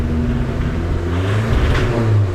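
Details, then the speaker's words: Nissan Hardbody turbo truck, rod knock suspected, wideband reading: held at about 3,000 rpm, rough choppy stumbling and breaking up instead of pulling clean; running very rich. "Oh. Yeah, that's at like 3,000 RPM. Yeah, it's hella rich, dude."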